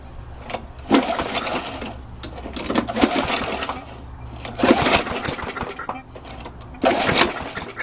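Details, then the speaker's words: Old small single-cylinder lawn mower engine run before postmortem disassembly: busy, rattly patter with some surging. It runs like a healthy engine, another good one. "Sounds like another good one. I guess the question is it worth saving it?"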